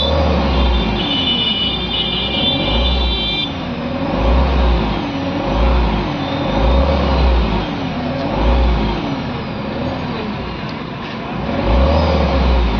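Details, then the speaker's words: 2013 Mahindra Xylo D2 diesel, DTC P0117 coolant temperature sensor, check and temperature lights flashing, pickup lost: drone swells and sags about every two seconds, jerking. "अब गाड़ी में झटका मारना start कर दिया [संगीत] अभी गाड़ी ऑटोमेटिक बैंड हो जाएगी गाड़ी झटका लेती है"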